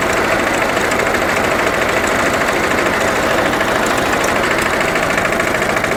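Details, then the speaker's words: Dennis Premier diesel mower after gearbox rebuild with the original output gear refitted, cutter engaged on level ground: loud, even diesel drone with no howl or grind from the gearbox, much quieter than before. "certainly a lot quieter and now we'll try the drive"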